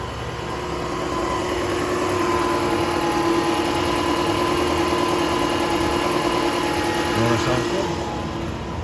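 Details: 2008 Toyota Camry SE 2.4 automatic, 253,507 miles (also stated as 203,507); engine reportedly 15–20k miles (also stated 50–70k). Sat a long while after front-end damage. Belt cut so accessories are off: smooth, even idle, steady low hum, no ticks or knocks. Runs good.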